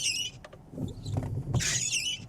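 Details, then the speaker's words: Tesla Model Y Juniper wiper on windshield PPF film after 30+ days: high chirping squeaks in short bursts as the blade sweeps, with the blade dragging and sticking on the film. The squeak got worse after the wiper cleaning. "That's way worse. I feel like I should get like a slow-mo camera and just see where it's actually like slowing down."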